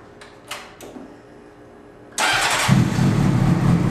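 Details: 2003 Honda CBR600RR fitted with a 2006 replacement engine (old one spun #4 rod bearing), Power Commander, K&N air filter: a few clicks, then it catches cleanly into a smooth, even idle with no knocking; healthy.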